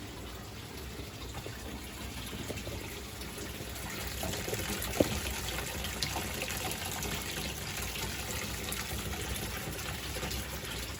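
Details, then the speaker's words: 1984 Ranger 395V bass boat: the front livewell pump of a newly installed Flow Rite system, with new hoses, running in recirculation mode. Steady rush of water over a low, even motor hum with no sputter or surging. Normal pump operation. "And I'm applying power to it right now. I can hear it running in the front, and I'm watching it."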